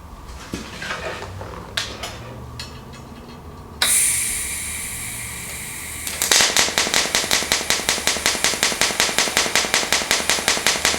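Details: Fronius TransSteel 2200 in TIG mode with pulse frequency set to about 5.4: steady hiss settling into an even crackling pulse of about two to three beats a second, a normal pulsed arc.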